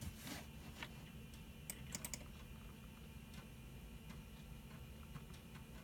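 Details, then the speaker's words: Windows 98 PC floppy drive with a disk that previously would not read or format: quiet irregular ticks and clicks over faint hum as the head steps while reading the disk normally. "you can hear the computer is reading the floppy disk"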